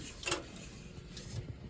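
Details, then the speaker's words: 35-year-old Dunkirk gas boiler with no heat: on a thermostat call the zone valves open and the relay clicks, powering the circulator, with a faint hum but no burner whoosh. Failed gas valve, and soot on the floor. "The click was the relay acknowledging that and sending power to the circulator, but not doing anything."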